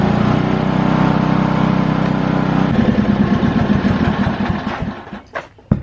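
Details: Lincoln Weldanpower 150 welder/generator bought cheap, started with fuel on and choke after new fuel line, air filter and oil change still pending: small engine runs steady at fast thump a few seconds, then winds down and stops cleanly; normal running.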